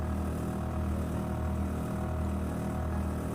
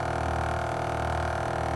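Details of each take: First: LG outdoor air-conditioner condenser unit, used for years, after tightening or loosening the screw on a brittle plastic cover that rattled: steady even low hum, normal quiet running, no rattle or buzz from casing. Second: LG air conditioner outdoor condenser unit, used for several years, standard non-inverter: steady droning buzz over the hum from a loose plastic cover panel vibrating; pressing it silences it; fix is tightening or loosening the screw, or removing the cover.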